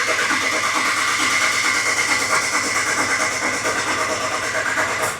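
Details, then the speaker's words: 2014 Ram 1500 4x4 5.7 V8 after oil pan replacement, cranked with the pedal floored so it won't fire, to build oil pressure first; about five seconds of steady, evenly rhythmic starter cranking, no firing. "okay I'll take my key foot off the gas I just didn't want to fire it up with no oil pressure"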